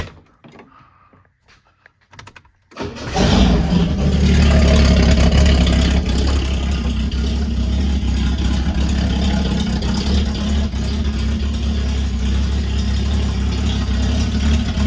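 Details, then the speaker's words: Ford LTD/Fairlane six-cylinder started with its old muffler knocked off, to get a throatier note. Cranks and catches into a loud, deep, raw unmuffled rumble. Owner says it sounds really good but isn't sure it suits the car. "I'm not sure how I feel about this. It actually sounds really good, but I'm just not sure it suits the car."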